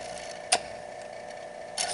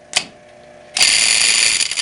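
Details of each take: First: Electric boiler circulating pump after motor replacement with a new coupler and oiled motors; quiet, even hum with only a few light ticks, running smooth with no rattle or knock. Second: Electric boiler circulator pump cartridge: a harsh, high metallic rattle starts the instant the pump runs and stays steady. One coupler spring broke with its loop gone; fixed by changing the coupler spring assembly.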